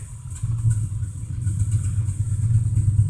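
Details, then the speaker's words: 1987 Dodge Ram D150 with a two-barrel carb, cold-blooded: a deep, slightly uneven low rumble building at cold idle while warming up before going into gear. "see if we can start it without choking it usually not don't really know why but it's an old DOD is cold blooded"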